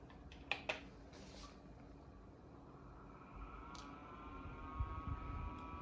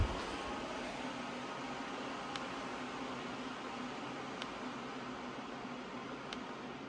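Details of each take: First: Dyson HP09 Purifier Hot+Cool Formaldehyde (Japanese unit) at fan speed 3: button clicks, then a loud, thin high-pitched motor whine climbing as it spins up, although the airflow itself is quiet. A new unit is quiet at the same setting; this motor needs repair. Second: Dyson HP09 Purifier Hot+Cool, replacement unit, at low-to-mid fan speed. Soft, even airy hiss with no motor whine, unlike the older unit's loud whine. Normal quiet running.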